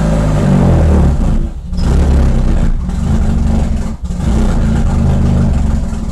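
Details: Nissan Silvia, first start after repair; deep throaty rumble with a few throttle blips, holding a steady run, running fine.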